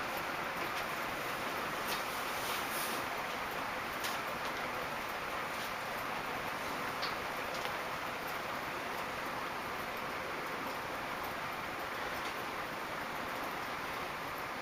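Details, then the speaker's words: Early-1980s 4 Seasons 90 cm four-blade metal ceiling fan, made in Taiwan, running at speed three: a steady airy hum with faint irregular ticking. Bearings are quiet; pieces of ceiling plaster are rattling inside the motor. "bearings are still very quiet the only little problem with is that it's got some dust moving inside the motor well not really dust but like some holy some pieces of ceiling plaster stuck in the motor"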